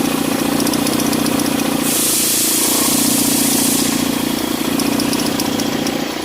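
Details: Mitsubishi ASX with noise on acceleration: the idle hum swells into a rushing, buzzing flutter as revs rise, with the accessory belt vibrating. The cause is a worn alternator pulley overrunning clutch no longer absorbing vibration; the fix is replacing the pulley.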